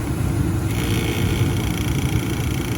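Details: Furnace running with a low buzzing rattle riding steadily over its rumble; pressing on the rubber barrier quiets it, so the owner suspects a worn rubber washer or damper, which is not confirmed.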